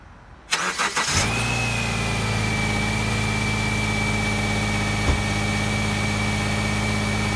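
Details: 2009 Subaru Forester AWD, cold start: brief crank catches quickly and settles into a steady, even idle with a faint constant whine; healthy, normal cold start.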